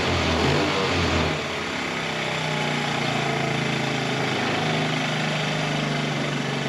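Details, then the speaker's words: 1984 Honda TRX70 quad, small single-cylinder, first start after years stored in a barn, running on chainsaw gas: fast, busy buzzing idle that won't settle, set too high; owner adjusting air mixture, smells a little rich. "I've been a little hot. Let's see if we can fix that. I'm trying to adjust the air mixture just a little bit."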